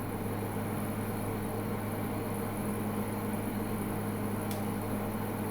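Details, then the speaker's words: Midea U 8000 BTU window AC at 108°F outside, eco low, power down from 634 W peak to about 370 W: even low compressor hum under smooth fan whoosh, no cycling or rattles; normal steady-state cooling. "Now it's kind of at a desired temperature, right? So it went back down. The compressor is definitely still on."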